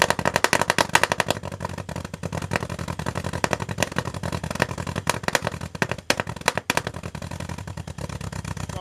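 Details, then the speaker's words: 1974 MGB with a rebuilt engine, after carburetor work: rapid irregular cracks and pops out the tailpipe over an uneven beat; owner suspects a destroyed number one cylinder spark plug wire causing the misfire; exhaust backfire. "because the breaking up at the top ends and kind of like the misfire that's causing the gunshots out the back of the exhaust could be caused by this bad spark plug wire"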